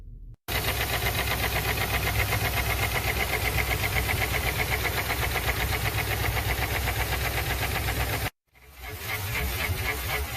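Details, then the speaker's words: Customer states the engine has a very loud knocking sound: loud, steady knocking at about four beats a second over an idling car engine. "Customer states, engine has a very loud knocking sound."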